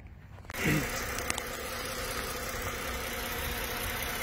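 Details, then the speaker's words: Engine at idle after repair: steady, even idle with a low hum and no knocks, misses or rattles. The engine sounds healthy. "runs pretty nice pretty happy i'm sure the customer will be too"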